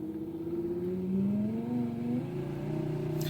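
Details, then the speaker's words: VAZ left power window with a voltage booster set to 18 V, ignition on and engine off: motor whirs with a sagging, labouring pitch; slow window, owner suspects the window seals need cleaning. "теперь левая слабо слабо что-то оно идёт на просто включённом зажигании может быть бархотки Не почищены"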